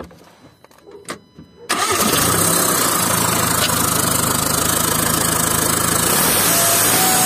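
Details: VW 2.0 TDI BKP 140hp diesel with loss of power, ringing turbo and seized geometry; restarted after removing a part the owner suspected was blocked. It cranks, catches and idles with a faint high turbo whistle. Geometry cleaning later failed and a new turbo is needed.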